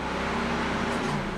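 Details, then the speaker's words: 2004 Subaru Impreza WRX STi (GD), ignition in ACC with engine off and green test connectors under the steering wheel joined: steady whooshing radiator fan roar with a brief click; fans running normally, fan relays OK. "and you can hear the fans if you don't hear the radiator fans it could mean that the radiator fan relays are bad they should click on and off"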